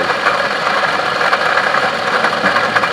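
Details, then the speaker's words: Toyota Camry: steady gritty mid-pitched growl with a light rattle at idle from a worn water pump bearing at the front of the engine, unlike an alternator whine that rises with throttle; an idler pulley can sound similar. "sound totally different alternator has a whining sound and when you step on the gas the wine to get louder this horse burns sound that water pump right there"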